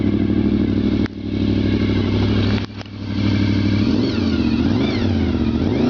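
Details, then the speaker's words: Cold-start revving of a 1996 VFR750F motorcycle that runs perfectly: smooth, even, quiet running that climbs cleanly on throttle blips and settles back without knocks; a healthy engine. "that's from a perfectly cold engine and it sounds rather lovely it really is a nice quiet"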